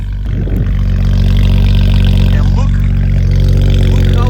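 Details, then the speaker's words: BMW E92 335i, twin-turbo N54 with downpipe, about 400 hp, oil-burning with blue smoke: engine blips from idle and coughs with a rough uneven stumble every rev, a misfire under throttle; cause not confirmed. "And on top of all that, the car literally coughs every time I rev it."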